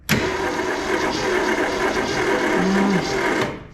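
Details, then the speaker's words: 1967 Ford Mustang sitting since 1986, cranking with plugs in and no spark: steady starter whir about three seconds with slightly uneven rhythm; it has some compression, possibly one dead cylinder. "Maybe one dead hole, but it's got compression. Some of it."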